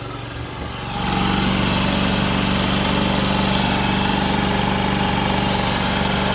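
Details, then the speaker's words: Old GY6 scooter after a new battery, engine cover and fan shroud were fitted and the exhaust refitted. It starts right up and settles into a steady, even buzzing idle with no misses or knocks during the exhaust leak check. Normal idle. "so let's go ahead and start it up and check for leaks started right up"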